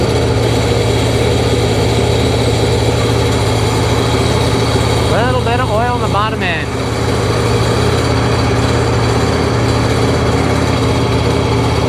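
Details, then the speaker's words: Seadoo 3D 787 two-stroke engine after sinking and flooding, bottom end full of oil, first start: smoky, even steady burble with low hum and no knock or rattle; bottom end sounds healthy. "it's Smoky no bottom end noise at all"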